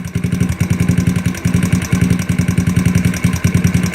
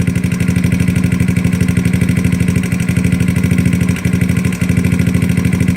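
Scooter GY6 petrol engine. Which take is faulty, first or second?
first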